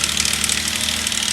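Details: 2008 Subaru Outback 3.0L flat-six, about 200k miles, at idle: fast dry metallic chatter from the top end, attributed to the left-side timing chain; teardown planned to confirm.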